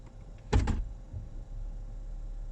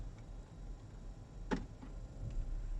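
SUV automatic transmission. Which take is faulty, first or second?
first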